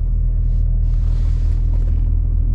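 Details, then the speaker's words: BMW N54 with swapped DCT and Mfactory single mass flywheel, idling in auto at the lights: deep, even rumble, no rattle or chatter; flywheel noise not audible in the cabin, normal. "once you're driving once you've got the ac on once you've got the radio on you do not hear it sitting at the lights in auto"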